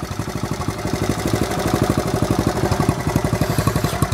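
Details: 1970 Honda Trail 70 idling off the magneto without battery, baffle still in exhaust; even putt-putt about four beats a second, no misses or rattles, normal idle.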